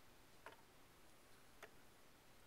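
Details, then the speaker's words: Mike's pendulum clock after over-adjusting one side, with humidity making it run sluggish: three crisp ticks about a second apart with uneven tick-tock gaps; slightly out of beat, needs bringing down a tad. "I need to bring it down just a tad on this side. A little too much."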